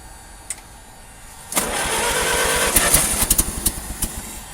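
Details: Old carbureted engine in freezing cold, leaking water pump: catches after silence then runs rough with uneven popping bursts; stumbling from poor fuel vaporization, fixed by blowing heat-gun hot air into carburetor, then runs much better.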